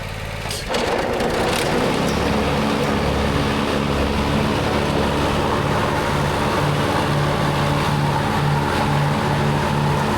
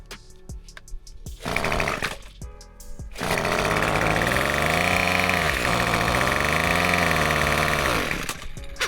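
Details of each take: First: Lawnmower after clearing dirt from under the deck: after brief start-up clatter, a steady even hum at constant speed; runs good. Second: Black weed eater the customer couldn't start, fitted with a borrowed Craftsman carburetor: it cranks and fires, but speed swells and sags unevenly and the carb can't be adjusted properly; a new carburetor will be ordered.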